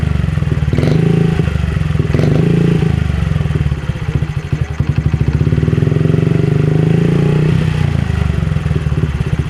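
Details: Honda CRF50 after fixing a pulsing, hunting idle: the bent, damaged throttle cable and the carb spring were replaced. Small single-cylinder thump, a couple of brief blips, then settles to a steady, even idle with no surging; normal idle.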